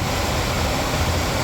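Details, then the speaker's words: 1996 Impala SS heater/AC blower motor, new replacement (PM131) bench-tested on its harness before mounting: steady, even whoosh of air with a low hum, no ticking, rubbing or wobble on middle speed; normal blower operation. "Alright. So we call that good."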